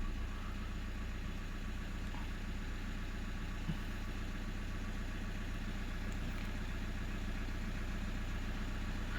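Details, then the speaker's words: Customer's top-model car audio preamp, about 2–3 years old, bench-tested in a car for reported whine following engine revs: steady low idle hum with nothing tracking engine speed, music plays normally; no whine found, customer's wiring suspected. "เสียงก็ยังดังปกติอยู่นะครับแล้วก็เสียงวี๊ดเนี่ยไม่เจอนะเนี่ยไหนก็ไม่เจอนะ"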